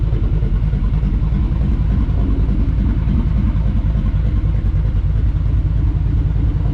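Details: Ford F150 on Multitune, Ghost Cam lobe idle in tune slot 2, heard from outside the truck: a deep, choppy idle with an uneven loping beat, engine otherwise fine; deliberate lumpy cam-style idle setting.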